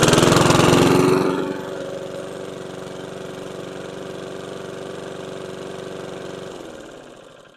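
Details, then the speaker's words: Curbside PowerSmart DB2194PR 21" push mower with RATO 170cc engine, first test run: after loud start, fast clattery idle with metallic knock about three to four times a second; really clanky, cause unconfirmed. "yikes really clanky it runs though surprisingly they threw out a running machine"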